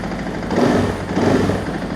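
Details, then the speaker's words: 2024 KTM EXC-F 500 TPI dual sport after ECU tune and FMF aftermarket muffler install with snap ring fitted: deep, loud single-cylinder idle with steady rumble and slight blip; better but still loud. "Okay, better. It's still loud. That is much better. My poor wife."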